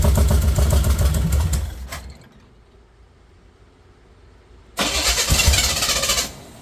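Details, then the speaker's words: Chevy 454 big-block swapped into a Pontiac LeMans, first start on open long-tube headers with no exhaust fitted: loud raw V8 bark that dies, refires and settles into a sharp lumpy rumble; normal start-up. "She firing off. I'm excited. I'm excited."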